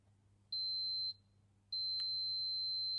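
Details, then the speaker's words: 1972 Land Rover Series IIa brake-light bulb tested with multimeter, one probe on earth, touching each filament: short high beep then a longer steady beep; continuity on both filaments, bulb good though corroded. "So, one on the earth and we can test both of the filaments by touching."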